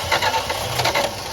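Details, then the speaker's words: 1966 Plymouth Fury III Poly 318 V8 after carburetor, coil and ignition work: starter spins fast even pulses but never catches; fuel just reaching the filter, not yet at the carb. "It's just now getting fuel to the fuel filter. Just crank it over a few more times."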